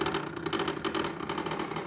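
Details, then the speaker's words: 2021 Samsung refrigerator ice maker, unused with no ice and no ice buildup: fast uneven rattle and whir repeating, still running with the ice maker switched off; stops when unplugged; cause suspected, not confirmed. "i try to turn the ice maker off from here see there it's off and still making that noise"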